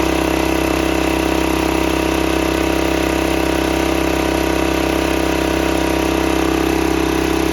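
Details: 1968 Sears Suburban 12 single-cylinder diesel tractor, first run after new intake and exhaust plumbing and air-in-line fix: hard steady chug, sharp barking exhaust and intake roar; excessively loud, without the big air cleaner/intake silencer.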